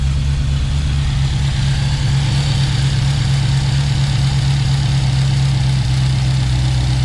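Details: Engine at steady idle after installing Remflex header and collector gaskets to fix an exhaust leak; even low rumble with no ticking or puffing from the exhaust.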